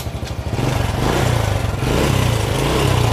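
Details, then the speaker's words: Honda Supra Fit that had lost spark, now running: a small single idling unevenly with a fast metallic clatter on each firing pulse, and it is smoking. A cam chain is rattling. "motor udah hidup Nah dari suaranya motor ini sudah bunyi rantai ketengnya motornya juga ngasep"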